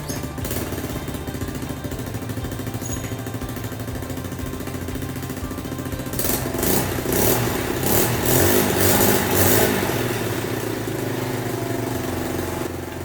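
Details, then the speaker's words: Old sidecar motorcycle with a single-cylinder engine that would not start, after carburetor cleaning and spark plug check: runs fast and uneven, surging higher, because fuel now flows freely; idle set too high and needs adjusting down. "นี้เครื่องมันเร่งเพราะว่าเราล้างคาร์บูแล้วน้ำมันมันเดินสะดวกแล้วนะครับทีนี้เราต้องไปปรับตั้งให้มันให้เครื่องมันเบาลงนะครับ"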